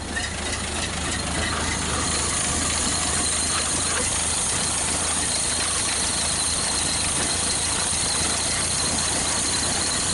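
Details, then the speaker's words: 1931 Ford Model A four-cylinder, first start in years with new distributor cap and points, cylinders sprayed with PB Blaster: steady, lumpy low chug with a hissy top end; runs unevenly, compression rose with fluid, rings suspected. "ber two of the cylinders was low in compression when we put oil in it or actually PB Blaster the compression came up so that's kind of scary we you know really you don't want to come up because that tells you the Rings or an issue"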